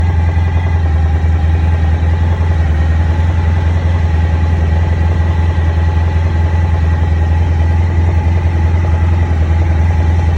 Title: 2001 ST1100 Right Side Engine Knock